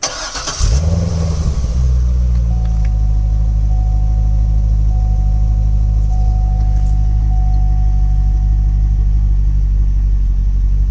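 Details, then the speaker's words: 2008 Chevrolet Corvette C6 LS3, which had a random misfire on 2 cylinders and vibration, restarted after reconnecting a component: brief crank, then a smooth, steady idle. No vibration, check engine light off, no fault codes. "No more vibration and check engine is off."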